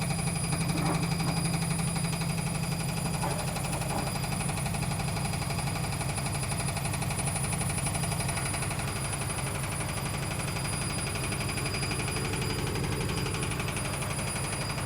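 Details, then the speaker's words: Logik L814WM16 washing machine: steady low rumble with coarse grinding grit pulsing as the drum turns; awful grinding noise from the drum. "I can't believe this machine is making an awful, extremely grinding noise. It works, it's a grinding noise."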